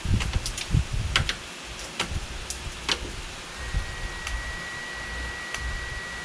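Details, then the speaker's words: Craftsman LT2000 lawn tractor repowered with a 20 HP Kohler Courage engine: turning the key gives sharp clicks from the carburetor fuel solenoid, which works, but no starter cranking because the starter solenoid isn't working. "i can hear the fuel solenoid i can hear the fuel solenoid clicking on the carburetor so that seems to be working"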